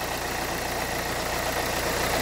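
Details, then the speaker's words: 2011 Renault Kangoo 1.5 dCi 86 hp, under 100,000 km, warm, Delphi injection pump with air and foam in fuel line, new glow plugs, preheat relay checked; fast harsh uneasy diesel idle clatter, owner suspects pump filings. "Il y a un bruit pas trop suffisant, pas trop rassurant, pardon"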